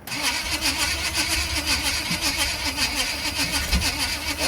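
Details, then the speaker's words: 1980 Chevrolet C10 Cheyenne: steady starter cranking with occasional weak pops, never catching; suspected no spark at first, but spark is present, so likely short of fuel. "this sounds like there's no Spark engine just spins over it won't pop off"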